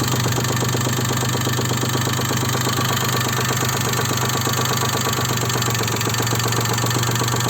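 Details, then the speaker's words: Daewoo Matiz 0.8 engine at idle: steady idle with a persistent light tapping of about three per second, unchanged across the whole distributor adjustment range; knock source undetermined. "Стучит. На всем диапазоне регулировки трамблера стучит."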